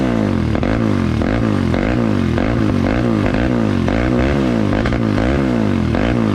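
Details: 2003 Polaris Predator single after carburetor reassembly, first run: it runs lumpy, surging about twice a second in a steady hunting rhythm instead of settling into a clean idle. It is running super rich and smoky; a float adjustment is suspected, not confirmed.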